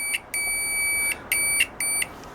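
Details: Continuity buzzer of a new Chinese multimeter, upgraded with a microwave-oven buzzer to replace the faint stock one; a shrill, high beep in short bursts each time the probes touch, loud and clean, working well.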